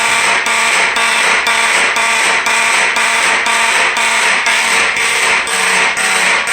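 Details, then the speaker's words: Edwards 276B electromechanical fire alarm horn sounding code 3: harsh, coarse, rattly buzzing blasts pulsing twice a second. The owner suspects the horn mechanism needs adjustment, not confirmed. "so holy noise yeah this literally this sounds god-awful"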